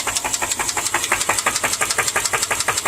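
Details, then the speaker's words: 2010 Subaru Impreza 2.5 non-turbo, 113,000 miles, engine run without oil: at quiet idle a steady sharp ticking knock about three per second from the middle of the motor, deep in the block. Bottom-end knock from oil starvation. "That's just non-negotiable. It's coming from the middle of the motor."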